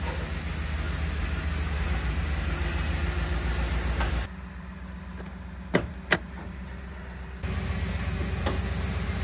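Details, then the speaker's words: Normal running whine from a parked Ford Raptor idling: low steady rumble with a faint constant high whine, described as a normal Ford trait, heard before removing the skid plate to install a winch mount. "that noise you hear that that whining that's normal that's a four thing it let you nose still running"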